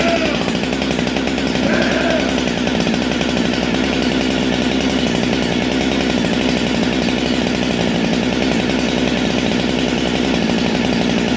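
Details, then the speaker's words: Rebuilt Husqvarna 395XP chainsaw running after rebuild: steady high-revving two-stroke scream held evenly over ten seconds without stumbling or surging; sounds great, saw runs healthy. "Oh, that sounds so fucking good."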